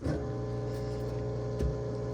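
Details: Whirlpool/Maytag WTW5105HC2 washer in factory diagnostic mode with the lid locked: the drain pump is activated and gives a steady low electric hum at constant pitch, without rattles or grinding, which is normal operation.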